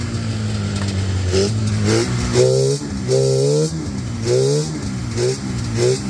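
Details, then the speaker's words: Yard-find Polaris 500 Indy snowmobile on a makeshift fuel system: it idles, and each throttle blip rises briefly then falls straight back about every half second; it bogs and will not take throttle. "Does it idle? Yeah. Doesn't take throttle at either"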